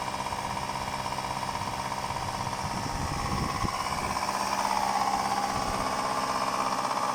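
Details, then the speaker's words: 1999 Subaru Legacy BH5, EJ201 engine, fully cold start at −2°C: hard hammering knock about twice a second at idle, piston slap heard only cold and said to disappear after about ten minutes of warm-up; oil level also found low. "когда смотрите двигатель холодный должен быть абсолютно холодный только на холодную вы услышите штук поршня цилиндра кто как называет"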